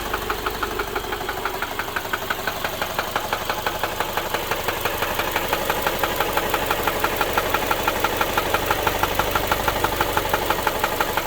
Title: my subaru knocking noise